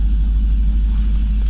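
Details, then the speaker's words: Cadillac CTS-V V8 after temporary misfire fix, new MSD plug wires on cylinders 5 and 7 plus spark plugs: deep, even rumble, no stumble or skipped beats, doesn't feel like misfiring. Normal running. "Sounds good, feels good, doesn't feel like misfiring at all."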